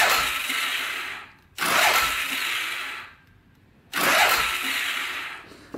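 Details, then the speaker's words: Polaris Sportsman 500 4x4 bought cheap as a non-runner with no spark: two whirring starter bursts of about two seconds each, sluggish turning over, no catch or firing; owner suspects slow cranking causes no spark, starter gear looks messed with. "NOP that might be why it doesn't have spark it's because it's not turning over fast enough"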